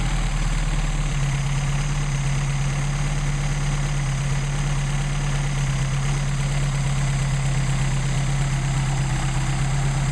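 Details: Mercedes 190SL with rebuilt Solex carburetors warming up before adjustment, about 99° ambient: steady, even low idle with a smooth unbroken rumble and no misses or knocks. Running cleanly.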